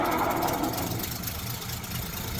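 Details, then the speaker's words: 1936 Rolls-Royce 20/25 straight-six, 25 horsepower, just restarted cold after running out of fuel: soft, low, even idle with gentle valvegear tick, no knocking; quiet, will get quieter as it warms up. "I mean, it might sound loud on camera, but I promise you, this thing is so quiet. And it will get quieter as the engine heats up."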